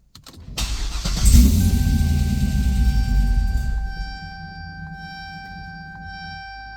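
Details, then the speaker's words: Supercharged Corvette C6, first start after the fuel system was completed: it cranks, catches and roars briefly at high idle, then dies after a few seconds. The owner suspects the MAP sensor. "ran doesn't stay running probably the math"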